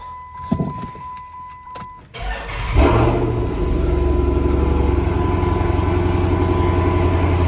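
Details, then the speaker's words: 2013 Dodge Challenger 6.4L V8 cranks and catches, then a slightly uneven loping idle with a recurring stumble felt and heard; scan tool shows cylinder 3 misfire; single-cylinder misfire at idle. "like a single cylinder miss. Yo, you can feel it all right. You can hear it a little too."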